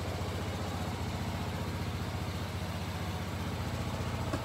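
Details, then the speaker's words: Kymco scooter after carburetor repair and successful test ride: steady even low putter at about four pulses a second, no misses or stumbles; normal idle. "the test ride was a success this scooter is running considerably better should fire right up"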